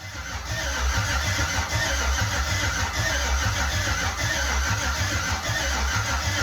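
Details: Jeep with an LMG LS swap and replacement heads: steady cranking with slow, uneven low pulses under a constant starter whir, but it never fires. Owner suspects a harness meant for an LC9 and no signal to the ECU.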